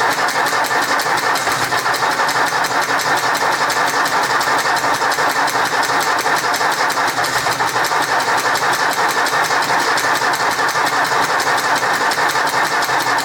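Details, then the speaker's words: 1964 Ford 4000 Rowcrop diesel tractor, first start after a 2-year restoration and bleeding of the injection system, with exhaust leaks; harsh, loud clatter with uneven popping. Owner guesses an air pocket: rough running. "I guess it's an air pocket."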